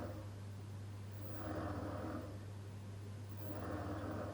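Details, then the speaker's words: MP40 wavemaker pump in a reef aquarium running in pulse mode. A steady hum surges into a rushing roar about every two seconds as the pump cycles on and off. The stacked glass back panel amplifies the noise throughout the house. "That's partially because the pump is turning off and on all the time, but it's also because my tank has a stacked glass panel in the back that amplifies the noise to the point where you can hear it throughout the whole house."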